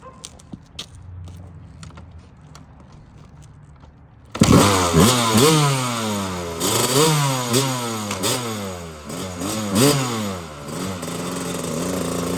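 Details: Kawasaki KX250 two-stroke after moving the carb needle clip up one position to the number two slot to lean it out, with pilot mixture adjusted; quiet handling noise, then it bursts into life at about four seconds with rising and falling throttle blips; seems leaner, improvement uncertain.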